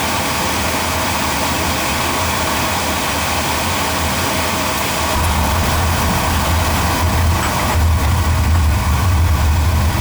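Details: Oil-fired boiler burner, about three years old, at a service visit, just after lighting: a steady low flame roar with constant fan rush and no pulsing or rumble; firing smoothly.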